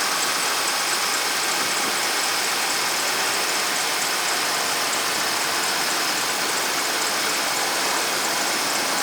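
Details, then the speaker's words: 2008 Dodge Ram 2500 5.7 V8, two-wheel drive, after starter replacement: steady, even idle with no screech, squeal or knock, sound airy and thin; earlier screeching gone, normal idle. "this didn't sound pretty good i'm gonna need some holiday i can't hear that little screeching since the other day sounds good"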